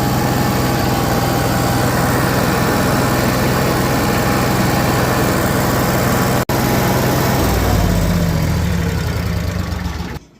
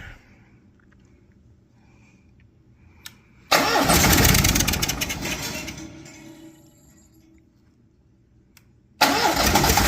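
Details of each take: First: Cummins Onan Marquis Gold 5500-watt RV generator, revived after sitting about 20 years, after recharging jump pack/battery: fires and settles into a steady even drone with no hunting or misses, runs smoothly, then shuts down. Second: Cummins Onan Marquis Gold 5500-watt RV generator, sitting about 20 years, on a nearly dead jump pack: cranking bursts fade over seconds, turns over weakly and won't catch; blinking code the owner believes is low voltage.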